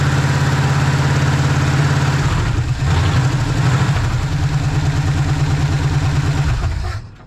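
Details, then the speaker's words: 1956 Chevy 150 with a 35-year-old V8, running after coil check with spark plugs not yet changed; deep steady burble holds an even idle about seven seconds, then shuts off cleanly: normal idle. "So anyway, we came here, we conquered, we got it running, changed the oil. We haven't done the spark plugs, but we solved the question if it's going to run."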